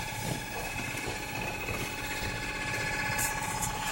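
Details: Mysterious continuous whirr behind TV stand, loudest near the ground, like a VHS tape rewinding though everything is unplugged; faint hum and vibration heard but not felt, owner suspects inside the wall; unidentified.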